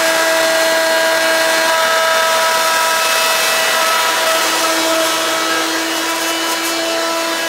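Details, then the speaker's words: Hoover Quik Broom II S2141 stick vacuum damaged in shipping; harsh, piercing steady whine with hissy rush, unbearably loud, louder than an S2095; owner unsure if the shipping hit unbalanced the motor or broke the fan. "I normally don't like to use it that much because this is stupidly loud to the point it is unbearable to use"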